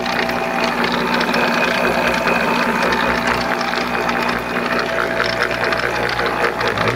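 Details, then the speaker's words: Monarch 10EE lathe after gear train noise work: busy uneven chatter and rattle, no clean rhythm; noise seems to come from up in the headstock, cause not found. "i don't know i still hear noise what do you guys think let me know and it definitely still sounds like it's coming from up here"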